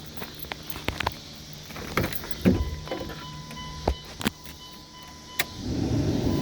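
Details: 1999 Dodge Durango after intake manifold replacement (was using a quart of oil per 250 miles), key cycled: clicks then faint steady whir about three seconds building pressure; normal fuel pump priming.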